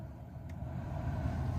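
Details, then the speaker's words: 1997 Chevy Silverado cabin blower after replacing the bad blower motor resistor (fan previously worked only on high): steady even airy hum, no rattles or surging, now working on all settings. "hear that sweet so now that means it's just working on all the settings here so that's good to hear"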